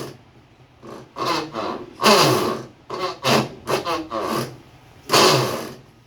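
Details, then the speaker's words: Consul 9 kg washing machine during agitation: rasping "reco reco" creaking bursts with each stroke from a worn gear coupling (gearbox assembly) that had lost its grip and pulled off too easily. "encostando na parte da agitação ela tá reco reco reco reco é o conjunto de caixa de de engrenagem"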